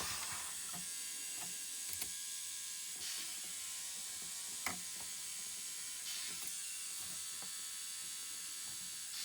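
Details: Sony MDS-JE470 MiniDisc deck stuck on standby, powered on with the case open: faint repeated ratcheting clicks about once a second over a quiet whirr; the disc mechanism appears to be slipping gears.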